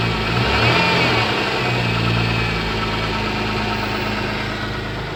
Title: MG ZS 180 Engine Knock